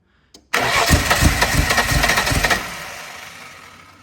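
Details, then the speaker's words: Holden VL turbo with new in-tank fuel pump, secondhand distributor cap, fresh injectors, timing position unknown: cranks, catches and fires roughly with uneven stumbling beats before dying; ignition timing well out. "All right, sounds like we're in business, but we got timing out."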